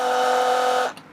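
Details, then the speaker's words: Flojet portable RV waste pump, powered by 12-gauge cable, flushing a black tank into a toilet: steady whining roar cuts off abruptly as the pump shuts itself off, apparently a thermal cutout from heat, likely sun. "Like that time it stopped by itself. So I'm gonna let it cool off. I guess the pump has a timeout on it when it gets hot."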